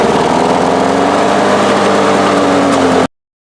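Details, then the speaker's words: Lawn Boy mower that had no spark, after replacing the failed ignition coil: small engine buzzing at steady speed, no misfires or sputtering, then cut off; runs cleanly with good spark, normal running. "Okay, that was successful. I'm going to go and connect this wire here. We'll put her together and should run now."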